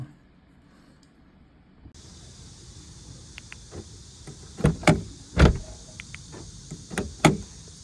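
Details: Honda key fob after shell replacement with transponder moved over: several quick, solid clunks in short bursts as the power door locks cycle, each firm and crisp; actuators and fob working normally.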